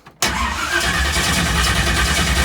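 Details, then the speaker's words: Track car, in neutral, battery nearly dead: starter spins the engine at an even cranking beat with no firing because the ignition was never switched on. "oh I forgot to turn the ignition on it definitely is not gonna change"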